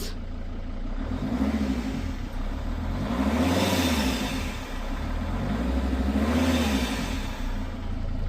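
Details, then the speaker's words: Dodge/Mercedes Sprinter diesel van, hard to start, revved: rough uneven surging rpm with faint airy whistle; suspected air leak in intake/boost hoses between intercooler and engine causing boost loss and gutless running. "It's certainly not smooth RPM and I almost hear like a whistling like there's an air leak in the air induction system."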